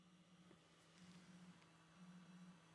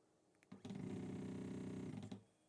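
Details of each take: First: Voron 0.2r1-S1 3D printer (Klipper firmware) extruder stepper motor test during build: quiet, steady hum pulsing about once a second, clean and even; normal extruder stepper operation. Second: Voron 0.2r1-S1 (LDO kit) CoreXY 3D printer during first setup: short buzzy stepper whir with a steady hum as the head moves back to the middle; strange noise of unclear origin, possibly Z axis pushing against its stop.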